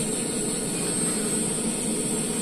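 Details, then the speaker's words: Custom power amp with the mic on an RCA socket: constant high hiss with a faint hum underneath at a steady level. Caused by a cheap non-standard test mic cable; the hiss disappears when it is unplugged. "jadi suara mendesis itu yang ini . Jadi jika dicabut, alat itu akan hilang ."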